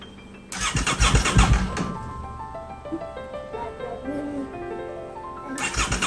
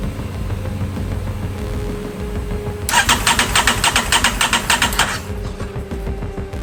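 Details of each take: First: Crash-damaged 2023 Aprilia RS660 under rebuild, ignition on: no fuel pump priming heard, two short bursts of starter cranking, engine never catches; cranks but won't start because fuel pump is not priming. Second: Crash-damaged 2023 Aprilia RS660 during rebuild, first start after reconnecting the fuel pump and its connector: brief pump priming buzz, then the engine catches and runs up cleanly with no misfire or knock; healthy start, shut off quickly for lack of coolant.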